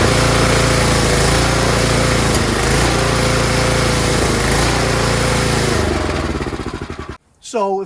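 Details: Tecumseh snowblower engine surging: runs rough and uneven, speed sagging and picking back up instead of holding steady, then dies away; hunting caused by a clogged carburetor pilot jet, fixed by cleaning.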